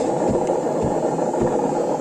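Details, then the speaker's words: Samsung 7 kg washing machine with empty drum on spin: steady heavy roar with low rumble pulsing about twice a second, far louder when loaded; worn drum bearing to be replaced. "ses bu ses ses çok felaket bir şey şu anda içinde çamaşır olmadığı halde bu ses yapıyor çamaşır olduğunda bu sesin 10 katı daha fazla çıkıyor uçak geçer gibi"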